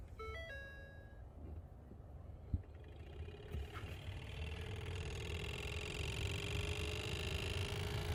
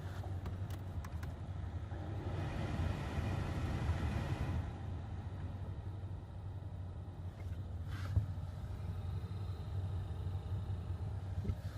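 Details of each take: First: 2015 Ford Fusion base model heater blower motor, before replacement: after a dash chime the fan spins up into a loud rushing drone with a whirring tone on top; noisy blower, dealer claimed it was normal. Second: 2015 Ford Fusion base model blower motor, noisy since purchase, after swapping in a junkyard replacement motor: low steady hum with no squeal, ticking or rattle, nice and quiet; normal blower motor operation after repair.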